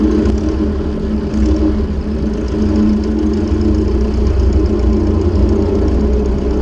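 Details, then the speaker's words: Ford 600-series (640) tractor abandoned a decade, running after new intake/exhaust manifold and vertical exhaust fitted: steady, even low rumble at idle with smooth unchanging beat, no knocks or misses; normal idle. "well now ain't that a Sweet Sound I'm so glad to hear that that is absolutely lovely"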